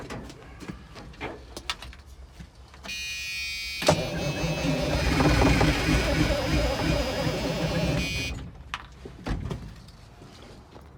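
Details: 1978 Chevy Bruin truck with 8V71 Detroit Diesel, long unrun, starter possibly sticky; steady fast cranking about four beats a second with ragged puffs as it catches on starting fluid, but it never fires up and runs; cranks but will not start.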